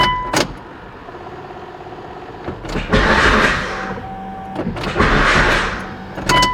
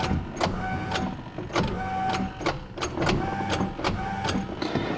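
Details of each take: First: Mitsubishi Evo 8 on jacks after new clutch and fixing a starter fault caused by a small wire: brief cranking then the engine catches with a strong surge each time; starting normally. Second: Mitsubishi Evo 8 on a key start attempt: slow, laboured clunks about twice a second with a thin whine, engine turning sluggishly and not firing; starter suspected failing and replaced.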